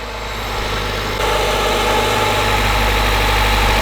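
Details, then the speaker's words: Honda CRX with newly swapped B18C1 engine, just after first start: smooth, even idle with steady low hum, very quiet exhaust, no ticks or knocks; healthy engine. "Whoa, that's so silent. That's weird. That is super weird. No lawnmower sounds for you guys. That sounds like a healthy engine, dude."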